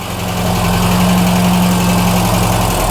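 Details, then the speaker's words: Mk1 Ford Fiesta Ghia 1.1 carburettor barn find, cold, now idling at about 900 rpm, about right for an expected 850–950; a steady, even hum with a slight splutter, probably still a bit choked up inside. "um it's now running about 900 RPM on idle which is about right 850 900 is um it's still a little bit splutter and it but it's going to be I suppose"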